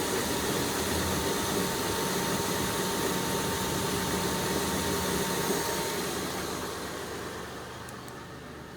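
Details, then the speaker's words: 2002 Kia Sedona EX, new timing belt, water pump and timing belt pulleys: rough steady growl over cold idle from the belt side, worse in drive at low rpm when cold, gone once warm; suspected power steering or serpentine belt parts, unconfirmed. "you can hear the noise a little bit now you hear the noise especially like if you uh you put it in drive and the rpns go down at night when it's cold it's pretty nasty once it warms up it goes away"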